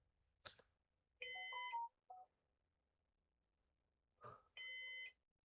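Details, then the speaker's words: Used Synology DS418 NAS during setup: two steady high beeps about three seconds apart with room noise; system reports internal fan 1 stopped, owner unsure which fan. "So, I'm not sure which fan it's talking about. We'll figure that out, though."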